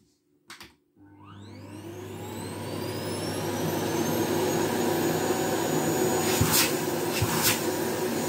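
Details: Philips Marathon FC9205 vacuum cleaner with reduced suction: motor winds up over about two seconds into a steady high, strained whine, consistent with a clogged filter choking airflow.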